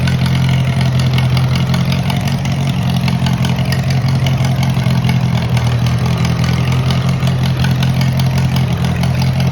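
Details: Moline model BF tractor started on choke after sitting over a year, battery dead earlier: steady low-pitched running with firm speed, no knocks or misses; normal idle.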